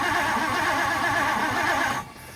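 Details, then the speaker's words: 1964 Ford Thunderbird, 390 FE big block, sitting since 1998, after new plug wires: steady rhythmic cranking two seconds with no firing; cranking no-start, owner suspects no spark, maybe distributor cap, later no fuel reaching it. "H still not sounding like any spark maybe our distributor cap I hope"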